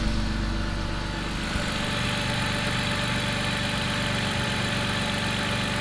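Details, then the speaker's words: 2002 BMW 330i M54 inline-six, cold, after clearing adaptations following rough running: smooth even idle with steady firing, no misses or stumble; reset helped, running as before the work. "okay so clearly adaptations actually did help there um so it's now running pretty much how it was before I did all that work"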